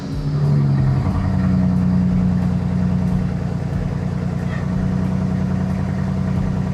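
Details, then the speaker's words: BMW 335i N54 petrol engine right after start: uneven idle with irregular stumble and low steady groan; fluid coming off the belt caused the groaning; misfire with stored code for cylinder one. "She doesn't sound too good. All the fluid is coming off the belt. So, that was the groaning noise I heard. But it sounds like she has a misfire."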